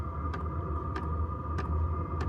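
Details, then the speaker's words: Diesel heater running normally inside a canopy camper, cabin warmed from 13 to 19 degrees within minutes: even fan hum with a crisp tick about every 0.6 seconds from the fuel dosing pump; more soundproofing or different mounting may quieten it. "but yeah no it works well might have to quieten down that ticking at some point"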